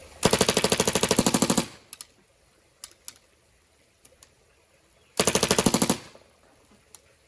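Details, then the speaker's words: Spider Pilot E-marker paintball gun after clog and trigger repair, on full auto: sharp rapid bursts about a second and a half long with quiet gaps, loud for a paintball gun; cycling cleanly and evenly. "So full auto. That's full auto. And it gets quite loud actually for a paintball gun."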